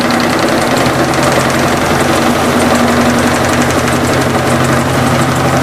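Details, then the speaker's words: Electrolux LT15F washer during spin: steady loud drone with buzzing rattle as a hose vibrates against the cabinet; hose was then wedged, apparently reducing it. "Estava vibrando no gabinete gando direto calcei a mangueira cominha aparentemente"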